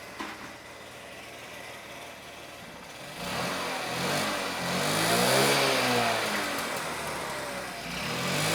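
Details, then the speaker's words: Honda Elite 80cc scooter after carb rebuild kit with new o-rings and idle adjustment jet: quiet idle, then clean smooth blips with no stumble; runs much better than before, though intake boot still leaks around the manifold. "that seems to run a lot better than last time"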